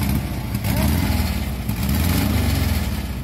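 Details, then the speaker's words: VW Beetle-engine Volkswagen Combi stalled roadside: fires and runs unevenly, revs swelling and dropping, only on fuel poured into the carburettor; fuel pump suspected failing, not confirmed. "Este es por gasolina a mejor está fallando la bomba"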